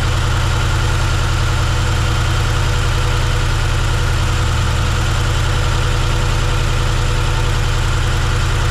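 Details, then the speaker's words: 1971 C10 V8 first start, cylinder three dead, lifters possibly misadjusted, later cylinders two, four and six found near zero compression: deep, lumpy uneven loping idle about three pulses a second; low compression on several cylinders. "it's been a few days if you've seen whenever we were trying to fire this thing up we got it running but it's not running well"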